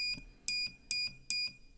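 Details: Improvised fix for a laptop's motherboard power-on switch using a contact piece: three clean, high-pitched continuity beeps, each about a fifth of a second, sound as the contact is pressed, showing the switch closes and conducts.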